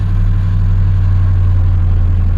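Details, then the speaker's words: 2001 Ford Expedition just after fixing a no-crank by sanding the loose negative battery terminal: strong, even low idle with steady rumble, no misses or knocks; normal idle. "And at the end of the day, what it ended up being was a loose negative connection on the battery"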